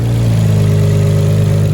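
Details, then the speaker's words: Nissan Skyline R32 GTR six-cylinder after installing R35 coil packs to cure misfires: deep, steady idle with slight lumpy cam lope, no misfire heard. "i don't hear this firing at all which is good you can hear i mean it's cam so if you hear it kind of sounding a little interesting that's because it's"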